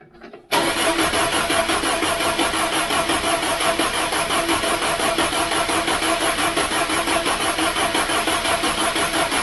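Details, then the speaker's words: Mk3 Ford Cortina 2.0 Pinto engine, first start attempt after replacing hardened valve stem seals, choke pulled: starter churns steadily at about three turns a second with a hissy, even drone, never catches or fires. "not tried it but choke it up see what happens nothing yet"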